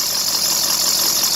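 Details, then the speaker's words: 2001 Ford F-350 7.3 Powerstroke at idle, with a new idler and tensioner, gives a steady high-pitched squeal from the serpentine belt riding off-center on the water pump pulley; water pump pulley suspected, not confirmed. "you can hear the god-awful squeak that I got going on in there into the water pump pulley"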